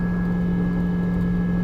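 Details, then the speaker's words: Truck cruising on the highway with the engine light showing a transmission issue; the transmission pulls fine without slipping. A steady low hum with a thin high whine over road noise; the driver suspects the rear transfer case needs grease or oil. "it sounds like the transfer case in the back needs grease or oil whatever you put in a transfer case"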